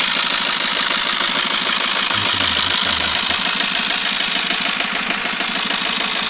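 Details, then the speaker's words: Eicher truck diesel idling with a fairly even knock a little over three per second over harsh clatter; loud noise suspected from the piston, with blow-back; coolant and cooler checked. Engine knock, unconfirmed. "बहुत आवाज आ रही थी engine से piston पे और इसका back glow भी था।"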